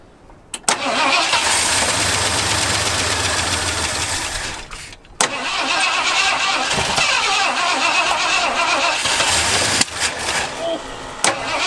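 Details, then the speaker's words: Abandoned 1977 Ford plow truck with a Duraspark ignition, being revived with fuel poured into the carb bowls; it cranks, catches, runs ragged, stalls and restarts, never idling. Suspected fuel starvation, unconfirmed. "Oh, come on. Yeah, it sounds like she needs some more fuel."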